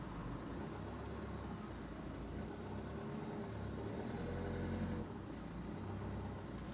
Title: cmax whining noise when pulling away